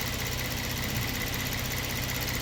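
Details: 2022 Kia Stinger, 32,000 on the clock, low power/limp mode: at idle, fast light ticking shows the high-pressure pump working normally with rail pressure restored. It was in full shut-off mode before.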